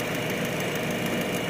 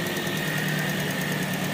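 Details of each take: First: Toyota Vios with an ABS warning light from a faulty right wheel speed sensor, at idle: uneven idle with a faint irregular stumble under the steady engine note, a mild misfire, not obvious but present, later shaking more. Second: Toyota Vios that misfired when cold, restarted after the fix: steady, even idle hum with a constant whine and no stumbling or dropouts, cylinders now balanced and no longer near stalling; normal idle.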